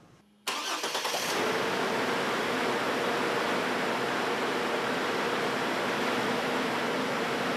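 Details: Chevrolet Trailblazer 4.2 inline-six, exhaust back-pressure gauge fitted to test for suspected clogged exhaust (no-power complaint), owner reports no drivability problems: brief crank, catches within half a second, settles to a steady even idle with no knocks or misses; normal start and idle.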